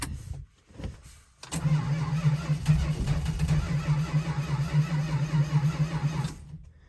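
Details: 1971 Dodge Charger R/T, cold start after sitting over 4 months, sensitive carburetor needing rebuild: brief sputtering crank, then catches into a loping unsteady idle; hard starting, flooded carburetor; carb rebuild and maybe plugs planned.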